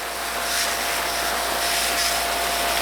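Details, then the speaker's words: RealYou no-dilution foam cannon with a new pickup tube, over two to three minutes into a run that reached 3 minutes 48 seconds: hissing spray surges and sputters unevenly instead of a steady rush; cannon spurting despite better run time. "but we are again we're spurting. I don't even know if spurting is an actual word but whatever that is it is happening."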